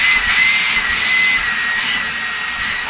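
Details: Dyson V10 cordless vacuum after stripdown and repair to make it air-tight again: steady high motor whine holding one pitch, smooth airflow hiss, no rattles or surging; runs cleanly.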